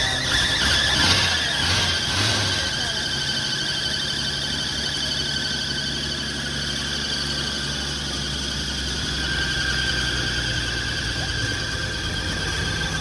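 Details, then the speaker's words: 1980 Ford F100 sitting outside 20 years, first start: steady high-pitched squeal over engine noise right after start-up, a slipping belt; owner suspects a stuck smog pump (earlier thought A/C), alternator not spinning, unconfirmed. "so i suspect the smog pump is what stuck it usually is on these old rigs"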